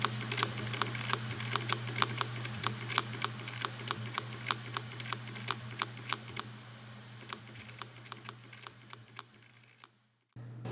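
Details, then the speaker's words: 2008 Hitachi Ultrastar 1TB hard drive, running opened in a laminar-flow chamber: sharp clicks about three a second over a low hum, fading before the drive goes quiet; damaged spindle bearing. "nie brzmiało zbyt dobrze więc dysk jeszcze raz otworzyłem żeby sprawdzić czy nie robię Czasem zniszczeń"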